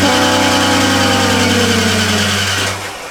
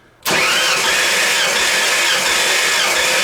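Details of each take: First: Rebuilt 302 in a 1985 Ford F-150 after the distributor was removed and refitted: steady starter drone with an even beat (about 167 turns a minute) that never catches; no RPM signal, and the distributor turns out not to be powering on. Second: Rebuilt 302 in a 1985 Ford F-150 cranking on the starter during a compression test with throttle open, reading a little over 120 psi: steady, even cranking for about five seconds with no stumble; normal.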